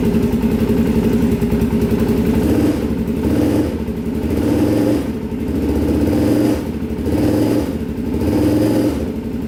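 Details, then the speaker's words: 2004 Polaris Predator 500 quad, cheap purchase, first start after fix-up with fresh oil: single-cylinder thump rising and falling in gentle throttle blips, firing evenly without knock, smoke from the pipe; normal running. "so sounds like it runs pretty good so smoking from the pipe here"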